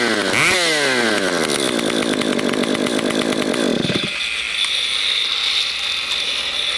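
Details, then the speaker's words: STIHL MS194T chainsaw that ran poorly, running with the spark arrestor screen out and no bar and chain while muffler parts cool; sharp raspy two-stroke buzz rising then settling, loud open note, clutch spinning, engine running without spark arrestor screen. "Now, while the muffler parts are cooling off, guys, I'm going to start it with the screen arresttor out just to show you what it sounds like."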